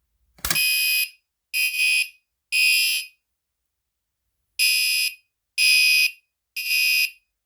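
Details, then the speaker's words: Newly installed fire alarm horn changed to code 3 and tested from the pull station: piercing blasts in groups of three with a pause between groups; the standard code 3 temporal evacuation pattern. "now I changed the fire alarm to a code 3 horn it's to its regular tone but let me go ahead let's go ahead and test it again 3 2 1"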